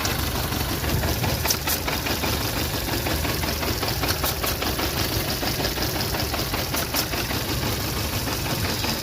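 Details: VW Polo Vivo 1.4 CLP engine idling rough with uneven stumbles: random/multiple-cylinder misfire traced to a heat-damaged, broken PCV crankcase breather pipe causing a vacuum leak.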